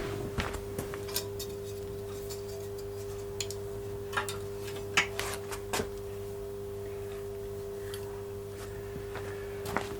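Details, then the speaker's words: Vintage Oxford RT110 MMA stick welder switched on after sitting about 10 years: steady low mains hum with a clean tone and a few light clicks; transformer idling normally. "starts humming don't if you can hear that in fact it's humming it's a good sign it's on it should hum that's a good thing"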